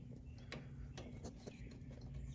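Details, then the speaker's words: 1961 Ford Ranchero revived after sitting six months, front end rocked: dull low knocks and clicks from the loose lower ball joint, castle nut not fully tightened; lower ball joint clunk. "It's clunking. It sounds like it's on that. It's the lower."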